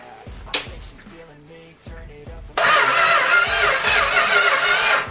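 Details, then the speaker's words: 1974 Plymouth Cuda project's 1978 motorhome 440 big block, unrun for years, on a custom engine run stand: quick, even starter cranking about four turns a second with strong steady rhythm, battery from a donor car now giving full cranking speed before a spark check. "okay so let's see if we can get it to crank over a little bit better here there goes nothing ignition"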